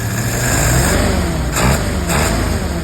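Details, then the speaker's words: 1948 Willys pickup's professionally rebuilt carburetor on a test run: engine pulls up smoothly on throttle blips without stumble or backfire, revs freely; runs much better than before. "Oh man, she's got some throttle. Nice and easy."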